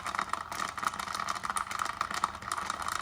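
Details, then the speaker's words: Nespresso Aeroccino 3 with the whisk spring off, holding milk and solid Callebaut chocolate callets before the milk heats. A faint motor hum runs under quick, irregular clicks as the whisk bangs against the solid chocolate pieces. "As you can hear, it's already banging about a little bit. Pop a few more in."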